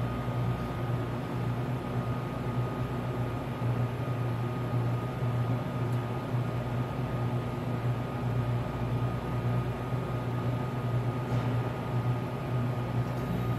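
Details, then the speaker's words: Tenney Lunaire TUJR temperature chamber, cascade refrigeration, cooling toward -70 to -75 (about an hour): second compressor has kicked on after the first; constant low even hum with faint fixed tone, no knocking or rattle, running normally. "Oh, there goes the other compressor. This is a cascade refrigeration system, so you'll hear one compressor kick on and then the other."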